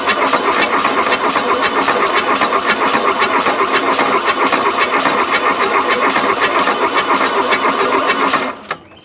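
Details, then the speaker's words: Diesel engine in a wrecked vehicle, 40°F outside, glow plugs jumped, probably burnt out: steady starter churn at about four beats a second for eight seconds, one cylinder kicks but it never runs on its own; cranks but won't start. "oh it's so close you got to remember too it's 40 degrees out here so that doesn't help and all of those glow plugs are probably burnt out too"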